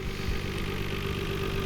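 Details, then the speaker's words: 1991 Nissan Skyline GT-R at a Japanese auction, about 100,000 km, a couple of modifications; steady, even low idle with smooth rumble, no misses or knocks; engine runs nicely, normal idle. "engine runs really nicely better than your average Skyline this one has 100,000 km on it so kind of middle mileage I would say"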